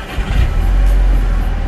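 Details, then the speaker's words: Volkswagen Golf R cold start after the stock exhaust was put back on: engine catches and settles into a deep, smooth, steady rumble, much quieter than the rough rumble before; healthy start. "God it's so much smoother now it is so much smoother now before it would like do it would Rumble really bad it's so much quieter now"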